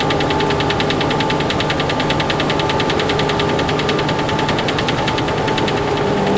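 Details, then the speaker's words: Freightliner truck diesel idling: fast metallic rattle about three per second; cab rattle that seems low, near the cabinet area rather than up above, cause unidentified. "Maybe it's up in the cabinet area, but to me it sounds like it's down there. It's lower. Doesn't sound like it's up above."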